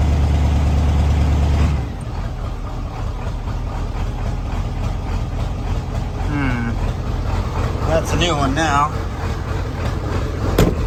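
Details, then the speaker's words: 1994.5–97 Ford 7.3 Powerstroke diesel, 300k+ miles, cold start at 62°F after glow plug cycle, just after injection pressure regulator replacement: fires loud, then settles into an uneven stumbling hunting idle; air purging from the high-pressure oil system. "come on hey there we go it might die but it's got to get the oil pressure back up there's just air in the system we'll get worked out"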